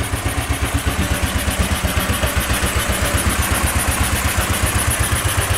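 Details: Go-kart cold start just above freezing after hard start; slow even putt-putt about four beats a second, barely ticking over, idle far too low. Very low cold idle.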